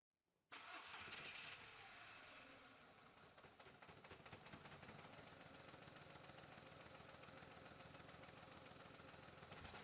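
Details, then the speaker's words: 2004 VW Polo 9N 1.2 L petrol, 40 kW, started and settling into a lumpy uneven idle with irregular stumbles and shaking from cylinder misfires; check engine light on. "So that's what it sounds like. And the engine almost wants to jump out on us here."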